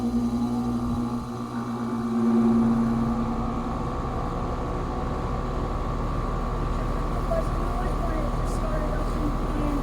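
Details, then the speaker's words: 2015 Carrier 5-ton outdoor AC unit with GE fan motor and Copeland scroll compressor: shakes on startup, then runs with a steady coarse electrical buzz and fan rumble, buzzing persisting after startup. "as you notice that's what i can only do with this unit it's just so making a buzzing noise when it starts up"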